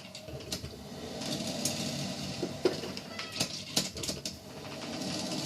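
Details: Hamilton Beach stainless steel 12-cup electric percolator model 40614R heard from about 3 feet away during its roughly 8-minute brew; irregular sharp pops and crackles over a soft bubbling hiss, brewing normally.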